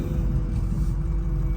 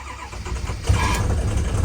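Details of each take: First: Built 6.0 Powerstroke diesel truck with H-pipe, first drive after the build: deep, steady diesel rumble, even low drone, no knocks or misses. Smooth normal idle, quieter and smoother than with stock parts. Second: Built 6.0 Powerstroke after high-pressure oil leak repair: new standpipes and dummy plugs, rail removed and drained. Slow, uneven cranking at about four beats per second that stumbles before catching. Hard cold start; the owner suspects air is still in the system.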